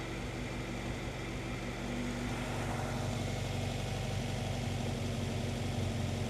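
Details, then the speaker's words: Honda CR-V after a new fuel pump and fuel filter, fuel pressure believed to be about 30 PSI: uneven, lumpy idle with a loose pulsing beat near four per second and a hunting note; misfire persists, cause not yet known. "I'm a little lost again. I'm gonna throw the vacuum back on there and the vacuum gauge, see where it's at, but it's acting weird still."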